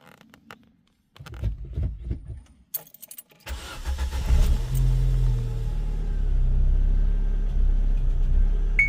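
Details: Opel Astra G 1.6 Z16XE: keys rattle, then the engine starts and settles into a low, uneven, lumpy idle that hunts slightly; rough idle, possible misfire suspected but unconfirmed.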